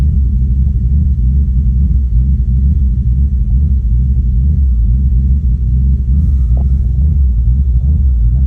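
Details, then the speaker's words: Ford Mustang V engine bogging: deep, lumpy rumble with an uneven misfiring beat; rough running and misfire caused by a vacuum leak. "I wanted to talk to you guys about how my car was bogging and it was like misfiring and stuff. So I'm gonna put the video of the car misfiring right"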